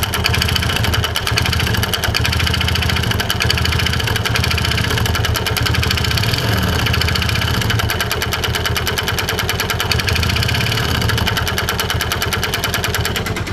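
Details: Yamaha Vega Force motorcycle with a very rough-sounding engine and multiple faults. Fast, loose metallic clatter over a rough idle throughout; slack cam chain from a broken tensioner plus worn internals; mechanic also suspects connecting rod noise.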